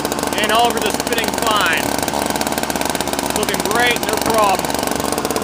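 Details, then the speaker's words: Toro Powerlite two-stroke snowblower just started after repairs (fuel system overhaul, fuel and primer lines, new carb fuel bowl, intake gaskets, spark plug, drive belt): even buzz outdoors, no stumbling or surging, "running great". Normal running. "Okay. Yeah, there we go. Okay, it's running great."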